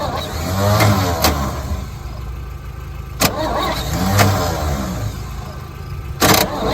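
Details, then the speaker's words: 1963 one-ton truck long sitting in a yard, fuel added to the carburetor bowl: slow, labored starter grinding in long bursts with occasional catches that never fire; extended cranking, no start. "Almost sounds like she wants to. Then. Yeah, she wants to. Come on, starter."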